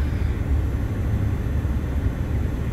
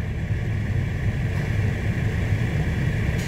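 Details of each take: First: 2014 Ford F-150 XLT 3.5L with the head unit removed; blower motor is stuck on high, giving a constant, unchanging low roar of air that never steps down. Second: 2014 Ford F-150 XLT 3.5L blower motor, commanded to max by increasing the PWM pulse width, drawing about 20 amps at roughly 4.36 V; steady, even fan rush with a smooth whirr and no rattle or squeal.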